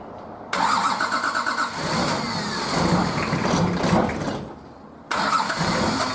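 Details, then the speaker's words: Nissan Patrol RD28 diesel, first start after injector and pump install, idle over six months: rough cranking in bursts with pauses and uneven puffs as air bleeds from loosened injector lines, until it starts to catch. "i've cracked all of the injectors loose i'm going to crank it a bit until i see fuel come out and then start tightening them all off and then loosening them cranking and tightening them up before i stop cranking just to stop air getting sucked back down into the lines"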